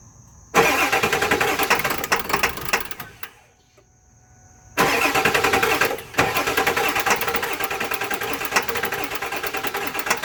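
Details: 7.3 Power Stroke diesel: starter cranks steadily at about three and a half turns a second, pauses, cranks again, but the engine never catches; crank, no start.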